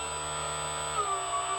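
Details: Proboat Veles 29 brushless RC catamaran: even high motor and shaft whine stepping up in pitch and staying steady with no rattle; drive now runs smoothly.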